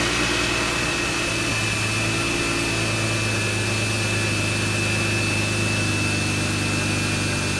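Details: BMW E36 idling after its first start since frame-rail repair, before the AC work. Steady, even idle with a constant faint high tone in the background, no knocks or stumbles. Engine running fine.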